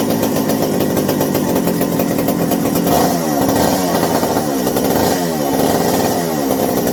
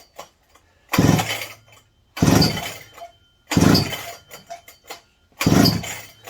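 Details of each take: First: McCulloch 790 chainsaw after fitting a new 090 carburetor, replacing a bad spark plug and turning idle down: loud two-stroke buzz revs up and drops back cleanly without bogging; sounds exactly as it should, though binding throttle linkage won't fully close. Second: McCulloch 790 MC101 chainsaw with new carburetor: fires in ragged bursts, hitting and missing under heavy load without proper spark; the new spark plug was found bad, and a borrowed plug fixed it.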